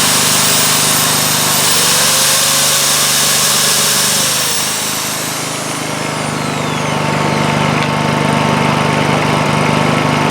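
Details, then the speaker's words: Honda EU2000i inverter generator after its completely plugged muffler was replaced, with a drill plugged in as load: a steady hum that dips and then throttles up smoothly under the load. It is running properly. "as you can hear it pick up uh throttle up a little bit under the load of the drill"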